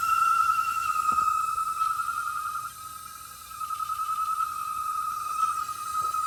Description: It was because the pipe was too small. We got a thicker pipe and the noise stopped.